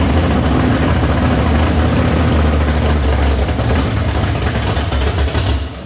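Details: Big-block Chevy V8 in the Farm Fresh gasser, timed, carb due for a swap for more fuel: deep even rumble, steady firing, no knocks or misses. Fires right up, no leaks; normal idle.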